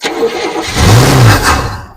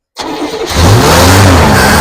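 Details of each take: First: 1971 Buick Skylark running off fuel in the carburetor bowl rather than the tank: it catches, revs briefly for about a second, then dies within two seconds, possibly from fuel starvation; the bowl needs refilling. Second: 1971 Buick Skylark running off fuel poured into the carburetor bowl, not yet on its tank: catches quickly, blips up, then settles to a smooth idle with no knocking.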